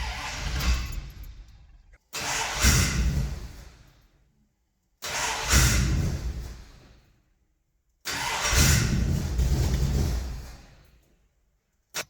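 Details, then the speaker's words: Ford 351 Windsor V8 catering truck, 5W20 oil, neutral safety electrical issue: four long cranking bursts, weak coughs but never catches, strong smell; hard start, weak ignition suspected. "Yeah, so I think I'm done doing that before I destroy the thing. So I think we need to get a look at our ignition because it seems very much so related to that, and it's weak, and when it does kind of fire, it now reeks in this garage."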